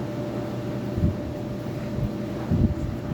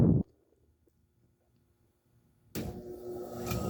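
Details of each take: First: Lau barrel fan, believed 20-inch, after re-powering with a new motor, RPM raised slightly: steady low rumbling drone with faint constant hum and even airflow, no knocking or rubbing; sounds like industrial machinery, runs smooth. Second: 20-inch Lau barrel fan before re-power, belt drive with little belt tension and belt running off to the side: motor speeds up but blades lag several seconds before whoosh builds; loose belt slipping at startup.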